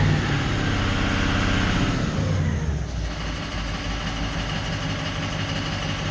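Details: 2004 Ford 6.0L Power Stroke diesel, previously crank/no-start with injector bank dropout starting at injector 7; after splicing out damaged wiring it fires up, revs briefly, then settles to a steady even idle clatter without misses: normal idle.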